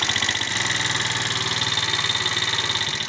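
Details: 70cc motorcycle single, before tappet adjustment: light rapid ticking over idle in time with engine; loose tappets (excessive valve clearance) needing adjustment.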